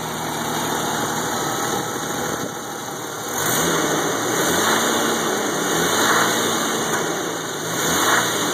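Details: Jeep 4.0 engine at steady idle with a light, regular rattling knock on top of the engine note; source not yet diagnosed.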